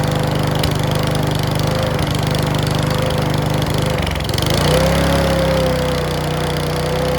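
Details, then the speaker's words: Mountfield V35 150cc (HP 414) lawn mower after carb clean, running before new throttle cable is fitted: fairly steady speed with irregular pops and light clacks; owner suspects the carburettor needle needs sorting. "Yes, that's still popping and clacking. So I think that needle is going to need sorting out."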